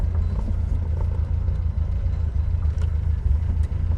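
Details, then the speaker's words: Reliant Fox engine idling after petrol pipework work, now drawing from its own fuel tank after an oil top-up; deep steady rumble, smooth even idle with no knocks or misses, sounds happy. Normal idle. "There we go then, she's drawing from her own fuel tank. She sounds happy."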